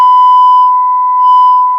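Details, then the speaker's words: Harman Kardon HK3600 receiver, apparently never serviced, with failed capacitors, test tone played through it: the tone comes out rough and buzzy instead of clean, so it is distorting; cause not yet found. "Sounds like it's got distortion."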